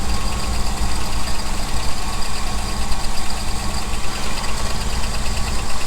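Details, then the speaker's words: 1975 Ford F-350, ex-Seattle Fire Department, just started after about 20 years unrun with the float bowl hand-filled, idles roughly with a light, quick ticking over the engine note; valvetrain noise suspected, not confirmed. "a little bit of noise yeah here's some like valve frame noise huh"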